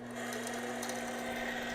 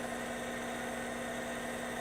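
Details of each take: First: APQS longarm quilting machine hook running in manual mode before WD-40: steady hum with a thin, tinny clatter on top. The hook is lint-clogged and poorly lubricated. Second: APQS longarm quilting machine hook in manual mode after compressed-air cleaning and a WD-40 spray: steady, even hum with no rattle or tinny clatter. The hook now runs smoothly and less rattly.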